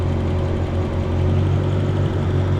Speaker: you can hear the idle change you can see it right there you see how it went lean momentarily and then the ecm's starting to compensate for it right there on the graph